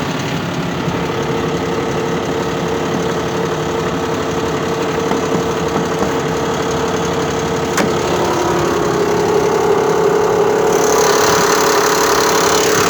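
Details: Mitsubishi Pajero 4 3.0 at idle after sitting parked: a light, regular tapping about three per second over the engine. Engine knock; source not identified.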